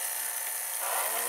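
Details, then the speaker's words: VCR with a U-loading mechanism in play mode: as the worn video head drum spins up, a faint scraping hiss rises over a low steady hum, showing rubbing inside the drum. "Le tambour tourne. Il est usé vu qu'on entend que ça frotte dedans."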